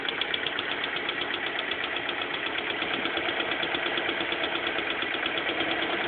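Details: Light, fast uneven tapping at about three per second over the idle of a BMW M42 four-cylinder; abnormal engine noise at idle, cause unclear.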